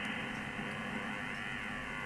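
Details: Amateur radio receiver on the 60-metre (5MHz) HF band: a steady rough buzz with faint whistling tones fills the audio continuously; local electrical interference, source unknown, possibly power supplies.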